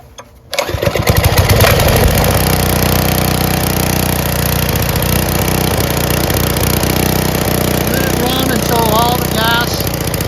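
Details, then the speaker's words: Briggs & Stratton Intek 6 HP engine from a Generac pressure washer or snowblower after HIPA carburetor replacement, run with fuel shut off to empty the carburetor for storage; catches after a second and settles into a steady, even putter without misses or surging. "so I'm going to do the fuel fuel shut off start it up run it until the gas is depleted from the carburetor"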